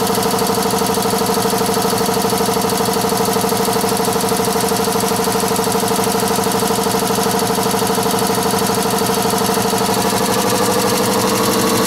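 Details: Newly replaced water system compressor heard from behind a wall: steady, even pumping beat about three times a second with constant hum, no shaking, knocks or rattles; normal running.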